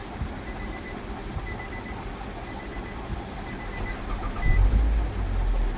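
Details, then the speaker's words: 2016 Nissan Altima after repair of ECM wiring (pin 109 fault) that caused key light on, no crank, no start: low, steady, even idle, no misses or knocks, cabin chime beeping; normal idle. "गाड़ी बिल्कुल सही है।"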